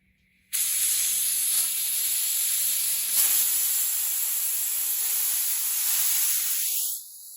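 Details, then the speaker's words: Hatsan Blitz air rifle just filled to 3000 PSI from scuba tank, bleeding fill line: constant sharp high hiss for about six seconds, never tapering; fill valve not seating, air escaping, later fixed by cycling/rapping the valve. "The valve is not holding the air inside of it. I mean, it's not holding the air back from this valve."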